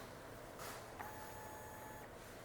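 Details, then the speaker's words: TBI motorcycle ECU power-valve reset: throttle held at 50%, ECU repowered, then released after ten seconds. A faint whir and a click follow as the power valve and fuel pump cycle normally. "Let the throttle go. Listen to the power valve and fuel pump making some noises."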